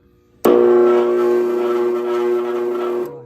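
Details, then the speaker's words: Indoor furnace at switch-on makes a loud, steady droning hum with buzzing tones; insulation liner fell off the duct into the blower, and long imbalance vibration wore it, so the blower motor must be replaced, possibly the blower wheel too. "行了，不行了，必须换风机了，必须换风机了。看，哇，太吓人了，必须换风机了，有可能还要换风轮，有可能风轮也要换，已经磨了，已经磨了，你看，不行。"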